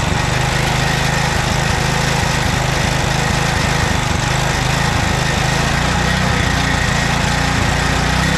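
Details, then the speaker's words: 2007 McLane reel mower after carb clean, warmed up, choke off in run position, at high idle; loud, even, steady drone with no misses or surging, holding a clean fast idle. "Choke is off. It's in the run position, and we're at high idle, fast speed."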